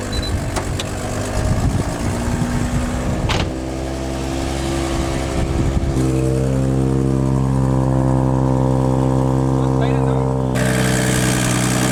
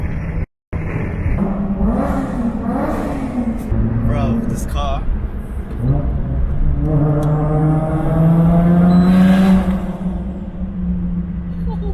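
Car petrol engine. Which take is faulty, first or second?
first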